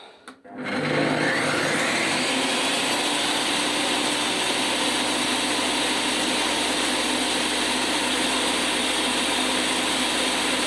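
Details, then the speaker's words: Metabo TS 254 M circular saw with a new 48-tooth blade heavier than original: loud rough run with humming drone, vibration even worse than before; blade shaft play noticed, bearing or gearbox suspected. "новий диск він важчий за оригінальний вібрація ну колосальна йде навіть ще більша стала ніж була"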